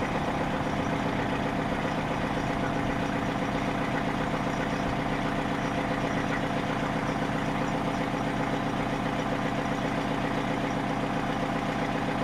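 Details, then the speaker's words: Detroit diesel in a Freightliner cabover, first start after work, idling in neutral: regular knock near four per second over the clatter; owner suspects a rod or main bearing tying up, though oil pressure is decent and later starts had no knock. "Now right here, if you listen close, the thing sounds like it's tying up a bearing."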